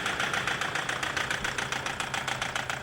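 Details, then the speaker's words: Toyota Hilux 3.0 diesel, running rough and flooding: rapid sharp knocking about eight a second over a rough uneven idle when revved, around 2,500 rpm before limp mode cut it; engine knock, cause not confirmed. "pegou já o defeito. Olha lá, ó, o bichão castanhando lá na frente. Bichão castanhando."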